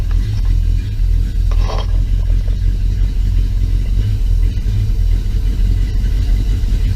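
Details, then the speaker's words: 1966 Plymouth Belvedere 440 with stock cam, newly fitted FiTech fuel injection and Edelbrock sump, idle set to 800 rpm: deep, steady V8 rumble settling into an even, clean idle with no knocks or misses. "[Music] it's running I don't know but that's that's a lot"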